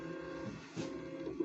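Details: New 3D printer, first run: quiet steady stepper hum with small soft moves and a faint click; normal, lengthy bed-leveling routine.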